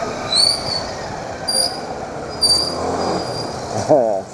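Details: Motorcycle with tyres at 32 psi rear and 28 front, braking: sharp high-pitched squeals come in short bursts roughly every second as the wheel turns; brake squeal, and the owner plans to take the wheel apart.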